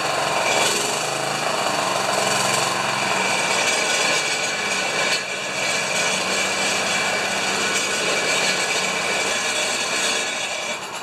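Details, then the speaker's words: Honda HRA214 lawn mower running with a harsh, uneven metallic rattle of about four raps a second. Owner suspects the clutch, the rear metal baffle or the grass scraper; not confirmed. "okay that horrible rattle uh sometimes I think it's sometimes I think it's the clutch and sometimes I think it's that metal baffle I got on the back there or the grass scraper I don't know"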